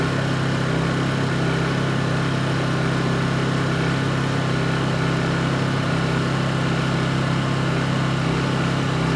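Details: Honda EU2200i inverter generator, brand new just unboxed, running during a fuel-shutoff test: steady even drone at constant speed, no surging or misses; running normally.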